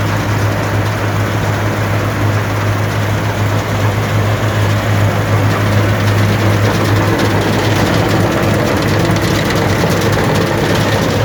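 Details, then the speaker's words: Allis-Chalmers Gleaner EA combine separation unit run for final checks before the threshing unit is refitted: even steady low rumble and rattle from threshing drum and separator, no knocks or squeals; not much noise, running normally. "so as you can see well as you can hear there's not much noise i've checked it already"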